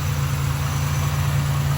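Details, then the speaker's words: 1987 Buick Regal Turbo T, 87,979 miles on odometer, upgraded larger turbo: deep, even idle with a smooth low rumble and steady beat after settling down, no misfire or knock; normal idle. "A lot of money spent in this motor. Larger turbo. As you can hear, she just idled down."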